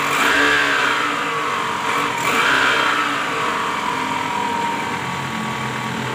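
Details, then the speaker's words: 2010 Toyota Camry 2AZ-FE (ACV40R) revving: rough, uneven clatter about three to four beats a second; caused by a loose balancer shaft with worn gear teeth. "Nah pada kasus Kali ini terjadi bunyi mesin kasar ya bunyinya sangat kasar nah ini yang diakibatkan oleh balancer shaft ya"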